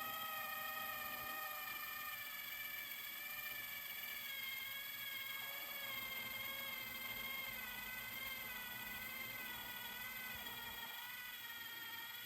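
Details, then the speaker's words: Sony DTC-75ES DAT deck under restoration, after new gears and sensor adjustment, fast-forwarding to the end of the recording; smooth steady high-pitched whir with no catching or grinding; normal fast forward. "all right here all it's fast forward to the end of the recording I believe"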